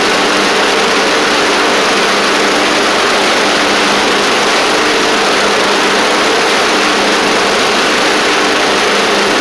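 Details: Traded-in Craftsman Wizard rider mower engine, freshly fitted battery, running at a steady, even drone with no knocks, misses or surging; it sounds healthy, with engine and drive fine, the deck belt needing work and the pulleys possibly rusty.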